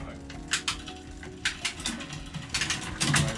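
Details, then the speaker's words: Child's Apollo bike from Halfords, testing the front derailleur limit screws after adjustment to cure grinding: crisp clicks and a brief chain rattle across the chainrings with no grinding or rubbing; normal front shifting, with full indexing still to do. "It's not sounding too bad actually, but we still want to completely index it."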